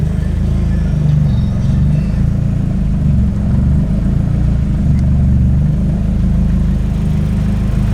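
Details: Engine on a scratch-built custom harness and a base tune from scratch, first start, no idle air control fitted: even low-pitched idle with no hunting, surging or misses over eight seconds, stable.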